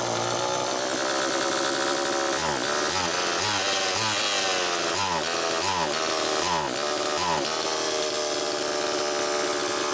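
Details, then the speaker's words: Homelite Super EZ chainsaw test run, suspected air leak: screams high and steady with brief surges, never drops to proper idle though high-speed and idle screws are far out; lean, should idle about 2500–2800 rpm. High idle, won't idle down. "it's definitely leaning out see how far out a the high speed screw is and b the idle and it's still not idling down so there's something going on"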